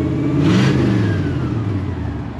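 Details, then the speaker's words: 1957 Pontiac Star Chief V8 during inspection, engine revved then settling: loud raw blatting roar from a major exhaust leak, nearly open exhaust; engine itself runs very smoothly, regular, no vibration. "Donc ça va vraiment faire du bien à la voiture, faire du bien, parce que ce bruit actuellement il est affreux, quoi. L'échappement libre, ça ne convient pas du tout à une voiture comme ça."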